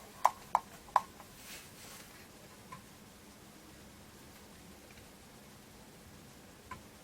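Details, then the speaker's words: Atari ST 520 rebuilt from two rough units, loading Turrican from floppy: three sharp, evenly spaced head clicks about a third of a second apart, then quiet; an ordinary floppy drive seeking while loading. "think it's still still thinking about loading it you can still hear the disk drive chugging away there we go yeah that's worked"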